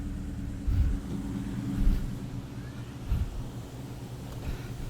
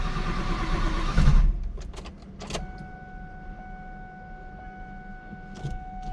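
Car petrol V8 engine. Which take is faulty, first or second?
second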